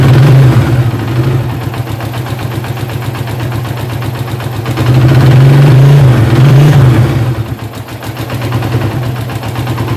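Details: Suzuki Satria FU motorcycle idling with fast metallic clatter from a cam chain that quickly became noisy.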